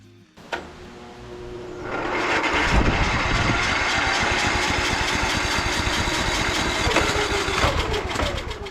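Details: Small single-cylinder carbureted engine on the Estate Car, after a gasoline hydro-lock and oil change, run briefly with the cowling off: catches and settles to a steady even fast idle with no knocks or misses; normal running.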